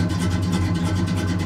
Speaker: so there's my idle right there at about oh like 750 RPM or so and it's got a really nice idle